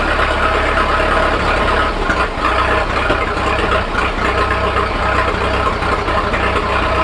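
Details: Fordson N tractor on TVO/kerosene, not run for a while, just started on choke then choke off: slow, uneven chugging with dips and stumbles. Owner says kerosene gets drawn through and it runs rough until extra petrol clears it.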